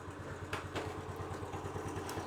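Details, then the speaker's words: Honda CT110 motorcycle during a basic service, warm weather: slow loping thumps around five per second that sag unevenly as if about to stall, improved after a quick adjustment; idle speed set too low. "john's just popped around so yeah it sounds like it's going to die doesn't it i might just give that a quick tweak now"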